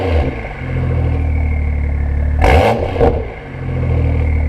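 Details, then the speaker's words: BMW M2 LCI, IPE exhaust, cold, after removing washers to raise actuator spring tension: deep steady idle with short whoosh as valves cycle open and closed, no rattle; normal exhaust valve operation. "Do you want to just cycle them through open and closed? It sounds so good. You forget how good it sounds. They seem to be working."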